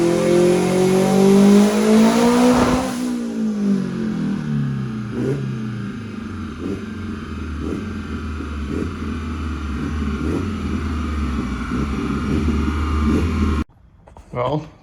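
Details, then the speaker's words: Nissan Juke on dyno after upgraded fuel pump wiring, now at 93 psi fuel pressure: screams up, then pops and stumbles in uneven bursts. It breaks up around 7500 rpm from running really rich. A lower radiator hose also blew off. "um it started breaking up around 7500 RPM and that's cuz it was really rich because now it has the appropriate fuel pressure"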